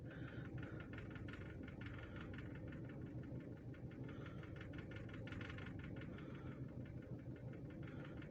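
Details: Toyota EFI petrol engine at idle while being tested for a hard-start, rough-idle and missing complaint after a slight correction: a low, steady hum with an even beat and no misfire or stumble, so normal idle.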